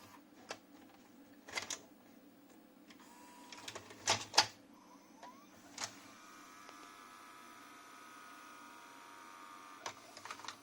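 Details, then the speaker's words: JVC HR-S9500MS VHS recorder, heads just cleaned, loading a cassette: scattered clicks and clunks, then a thin motor whir straining for seconds as the tape is slowly pulled in. Loading struggles, and a tired loading belt is suspected. "Donc il est pas ultra heureux. Peut-être qu'il n'arrive pas à charger la VHS correctement parce que la courroie elle..."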